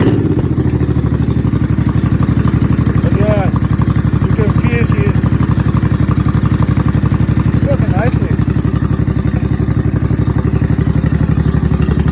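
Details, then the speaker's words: 1989 Honda Shadow VT1100C bobber after open air filter conversion, now gravity-fed fuel: even loping V-twin thump at steady idle, no knocks or misses; sounds healthy. "looks good sounds good"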